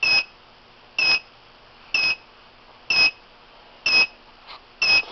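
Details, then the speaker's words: FloodStop whole-house leak system: a sensor wetted between the fingers trips the control unit, giving rapid high double-tone beeps about once a second while the master shutoff valve closes. Water leak alarm. "when it trips it will it will uh rapidly and I'll try to capture the uh the valve actually closing there you can hear you can hear that it's tripped and the valve is"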